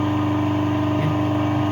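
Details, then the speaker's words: Three-phase 380 V 2.2 kW electric motor run on 220 V single phase with run and start capacitors forming an artificial phase: even, smooth mid-pitched hum, no knocks or scraping; runs normally, delivering about 75-80% of rated power. "И ток течет по двигателю плавно. Двигатель не будет греться, сейчас можно нагрузку."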